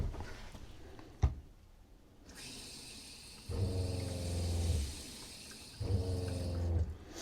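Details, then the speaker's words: Travel trailer RV fresh-water pump during pre-season check: pump hums about a second, stops, then kicks on again; cycling means the system is losing pressure. "Okay, so the pump ran when we were losing pressure in the system, right? So it's making up for it."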